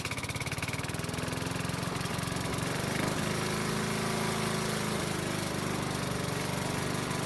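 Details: Honda mower that wouldn't start in spring after proper winter storage, now running after the fix: steady, even single-cylinder putter with no misses or surging; healthy.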